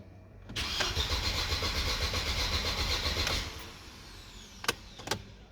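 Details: Mercedes W203 cranking but not starting: the starter spins the engine steadily for about three seconds, then stops without the engine catching; bad fuel pump or relay suspected.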